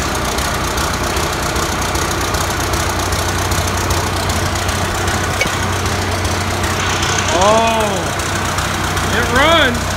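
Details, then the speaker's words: Abandoned 1993 Ford Louisville truck, not run in 13 years, first start: steady idle with two short rising and falling squealing chirps near the end; slipping, dried-out drive belt squeal. "Everything's spinning. Everything is spinning. That belt is not happy. That belt is not happy at all."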